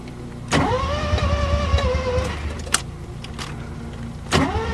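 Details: First-generation Mazda RX-7 after ECU swap, de-flooded, last attempt: starter spins in short whining bursts that die away, engine never catches; fuel pump runs, battery low, owner suspects fuel pump/filter, cause unconfirmed.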